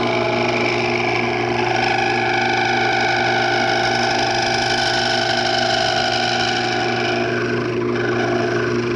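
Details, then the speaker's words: Wood lathe turning an old fatwood piece: a harsh, steady buzzing chatter as the tool cuts the thinning stem area, then it trails off. The tool is chattering on the thin section. "by the way in this area here coming down this way there's a lot of chatter so I'm going to let you hear the chatter"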